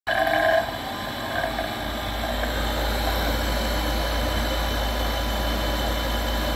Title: Noisy inducer motor